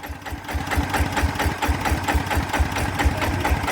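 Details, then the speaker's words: ET110 single-cylinder diesel before 120 direct-injection upgrade, balancer bearing replaced: steady even idle thump about four beats a second, no knocks or rattles; idles fine, sounds healthy. "ก็พี่บอกว่าเปลี่ยนลูกปืนบาลานซ์มาแล้วใช่ไหมอ่าเสียงยังเงียบดีนะครับใช้ได้นะครับ"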